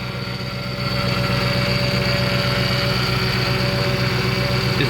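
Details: 2008 Ford Expedition idling after rack and pinion replacement (used 2010 Lincoln Navigator rack) and fluid refill: steady high whine over even idle, power steering pump groaning from trapped air.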